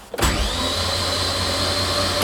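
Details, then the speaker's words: Mazdaspeed 3 prepared for winter storage, spark plugs removed, clutch in and throttle floored, cranking to prime oil pressure; fast, even starter whir without compression pulses, starter under almost no load, oil pressure builds. Starter cranking freely. "We primed the engine with no spark plugs in. And you can even tell that the spark plugs removed, the starter motor doesn't have to try as hard to spin the engine. Pretty much no load on the starter motor."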